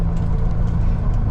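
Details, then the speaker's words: 2017 Peterbilt 348 dump truck driving on the road after the tow hooks were removed: deep even road rumble with no clanging or rattling; the loose tow-hook clanging is gone. "that noise as soon as we took soon as we took the toe hooks out of that yeah the little bo clanging around yeah no more"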